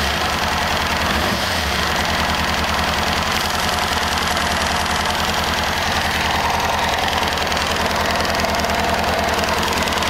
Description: 1998 ZX6R, post valve adjustment. Same noise as before, fuel tank removed. Not as noticeable this time around.